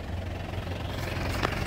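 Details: 2008 Isuzu Panther LS Turbo diesel: steady even idle, low rumble and ordinary clatter, no misses or odd knocks, clean exhaust; healthy engine, normal idle.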